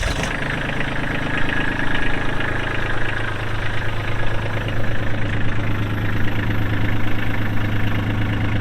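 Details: 2022 Kubota LX2610SU 4WD hydrostatic tractor with front loader, 138 hours, diesel: steady low rumble settles into an even idle after start-up, no knocks or misses; engine sounds healthy, normal diesel idle.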